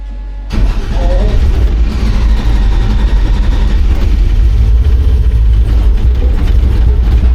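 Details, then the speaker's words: 1953 truck, LS swapped, Holley EFI with a generic fuel table and closed loop off, new plugs. Cranks and catches, then runs with a lumpy, uneven deep rumble; air-fuel reading all over the place and it smells of raw fuel. Timing suspected off. Rough running. "so the air fuel is like it's running too bad for it to really matter it's all over the place"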